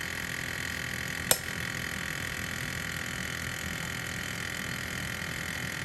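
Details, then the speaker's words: Ford F350 Super Duty 7.3 with the new AC compressor clutch fitted after the old plate broke (compressor spins free, failure put down to age). AC switched on: one sharp click as the clutch engages over the engine hum, no dragging. Normal engagement. "you hear that click now it's engaged now it's off no dragging there it's back on"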